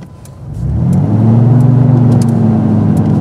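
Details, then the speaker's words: 1996 Dodge Dakota 3.9L V6 driven normally with no load at 32°F outside air, water temp about 199 (runs around 210): a steady loud roar that holds when the fan should be off; aftermarket fan clutch stuck locked, not cycling. "this is just me driving normal no load 32 degrees this fan should be off right now"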